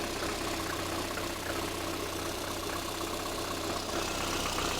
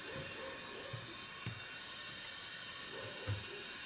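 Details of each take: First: Lada Kalina with a cold engine at idle, checked for an air lock in the cooling system (coolant not yet circulating); fuel pressure measured normal at about 3.8: even, steady hum with no knocks or rattles; normal idle. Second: VAZ Lada Kalina leak-down test, cylinder at top dead centre with both valves closed, 75% leakage on one cylinder; quiet steady air hiss changing when cylinder 3 is covered, small overheated head gasket breach starting between cylinders 2 and 3.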